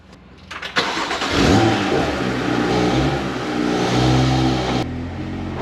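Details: Triumph Spitfire, alive for the first time in many years: fires, revs, then holds a slightly uneven, lumpy idle. Rough running; the carbs still need setting up.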